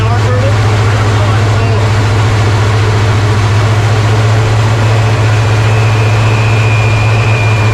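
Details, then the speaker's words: 1970 Chevy C30 with rebuilt Rochester Quadrajet carburetor on original fuel system: low idle rumble with a thin high whistle from an open port; serious vacuum leak, a second leak point also suspected. "hear that whistle yeah it's this right here serious vacuum leak"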